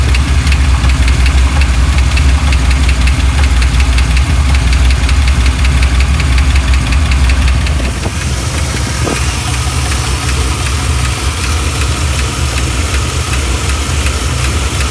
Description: After getting this thing going I noticed it has an odd tick. It even changes pace at one point.